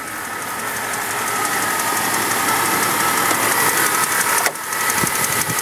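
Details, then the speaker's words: Jeep with a 4.0 L straight-six at 143,000 miles, idling, mic in the engine bay. Light fast tick about three per second under a loud hum. Owner suspects the small gray cam position sensor, reportedly replaced recently; unconfirmed. "You can hear it ticking. That thing right there, that little gray guy, that's a circle. That thing's making that ticking noise."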